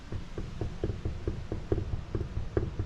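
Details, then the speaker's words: 2017 Polaris General 4 UTV, wheel rocked back and forth by hand with the castle nut known tight: dull clunks about twice a second with visible play; worn wheel bearing. "You can hear that and probably see it moving. Now that could be due to the castle nut, which we'll cover here in a minute, not being very tight. But in this case, I know it's really tight, but this is a telltale way to say the bearings are bad."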